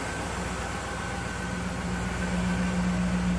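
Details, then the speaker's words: 1991 Cadillac Eldorado 4.9 V8, idling with the AC blowing cold: even, steady soft low rumble with a faint high hum, no knocks or misses; healthy. "AC blows cold. Nice smooth running 4.9."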